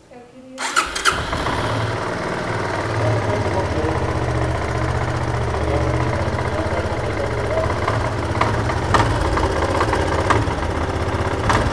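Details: Yamaha Fazer motorcycle: starts and settles into busy idle with irregular knocking mixed through the engine noise; strange engine noise, different mechanics give different causes, cause unclear.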